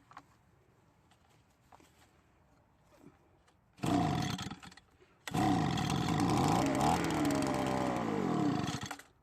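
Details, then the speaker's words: Leaf blower that died after a minute, very low compression, treated with Marvel Mystery Oil: coughs to life, sputters out, restarts and runs roughly with wavering speed before fading; carburetor likely needs adjustment; runs briefly then dies. "luckily it started and ran for just a bit so why don't we put some mix gas into the tank and try starting it once again"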